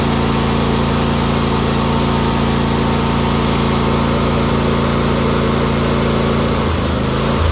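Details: John Deere D130 mower V-twin after ignition coil replacement: steady, even buzz at idle with no misfires or stumbles; engine running properly.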